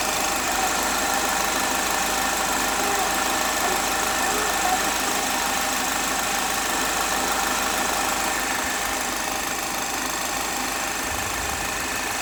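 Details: 2010 Chevrolet HHR 2.2 Ecotec four-cylinder, warm idle: fast, fairly even tick about three per second over a bright buzzy hum; weird noise only when warm, source unknown.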